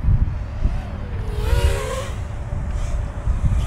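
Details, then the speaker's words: Geelang Lightning 120X drone after enabling the Betaflight RPM filter, flying hard turns in wind: clean motor tones sweep up and down over wind rumble with no rough buzz. Much smoother than before. "hard turns in front of me here so you can hear that sound yeah way better"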